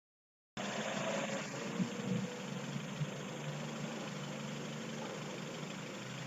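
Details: 1998 Mazda 626 with a rough idle under load: an uneven, lumpy pulse with irregular shakes. Findings were retarded ignition timing and an ECU-reported IAC PWM duty cycle that did not match the oscilloscope; the cause is not confirmed.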